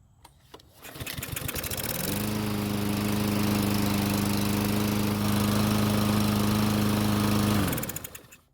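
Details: Murray lawn mower, used last year, won't start even with fresh gasoline; run without air filter, catches after a few pulls, steady buzzing run about five seconds then quits; fuel starvation from clogged carburetor jet, old stale tank fuel suspected.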